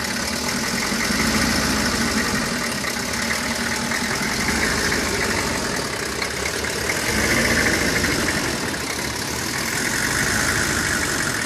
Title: 95 Chevy 3500 rough idle